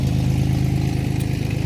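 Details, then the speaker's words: 2003 Ford Explorer warming up at idle after a new muffler was installed; it was Harley-loud before. Deep, even exhaust pulse, no rasp or blatting. Check engine light is on for the O2 sensors, not yet installed. "That noise right there is nothing. It's gonna settle down in a second. Let it warm up."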